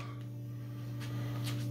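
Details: Westinghouse 37-inch digital TV, model 3710: steady buzz through the speakers instead of sound when cold; heating the main-board audio capacitors (470µF 35V) restores sound, so the failing capacitors are to be replaced.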